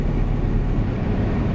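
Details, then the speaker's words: Semi truck cruising after exhaust leak repair, pulling slightly: smooth, steady low drone of engine and road with no whistle or squeal of the previous days' leak; exhaust sealed, good power. "I have no more exhaust leak so far yet anyways as far as I can tell and you guys can probably hear that it's nice and quiet it just had to pull there a little bit"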